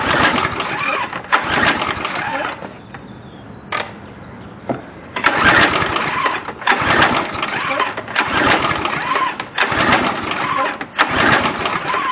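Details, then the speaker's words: Briggs & Stratton 5.5 HP Quantum engine on a DeVilbiss pressure washer, about 3 hours use, carburetor cleaned, new plug, fuel reaching float bowl, occasional backfire: repeated recoil pulls that crank but never catch; won't start, cause unknown. "[Music] [Applause] and there you have it it will not start"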